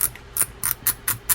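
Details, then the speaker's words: Daiwa Lexa WN300HSP baitcasting reel being reassembled during service, drag assembly tightened before star adjuster: crisp, evenly spaced clicks about four per second, nothing rough underneath; drag clicker working normally. "And now you can hear that clicker clicking."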